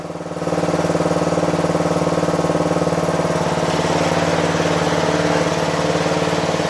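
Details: Toro Wheel Horse 825 riding mower (Recycler 56132), Briggs 8HP single-cylinder, after new battery, carburetor replacement and throttle linkage fix: steady even low-idle putter at lowest throttle, regular firing, no misses or knocks; healthy idle.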